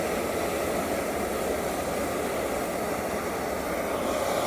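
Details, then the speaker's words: EZ-Wok high-heat X7 outdoor wok burner (1040 jets) on 0-30 psi regulator, main valve fully open; loud steady gas roar eases slightly as regulator pressure is backed off, blue flames lowered from about 1¼ inch to ¾–1 inch for a starting setting. "you can hear it as well as see it we're going to back it off I'm bringing those blue flames down to about an inch to 3/4 of an inch"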